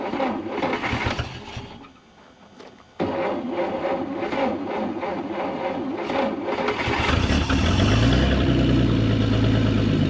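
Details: 1940 Plymouth Deluxe parked about 65 years, six-volt start, exhaust crushed and muffler clogged: quiet, then the six catches near three seconds and settles into a rough building idle; it starts and runs.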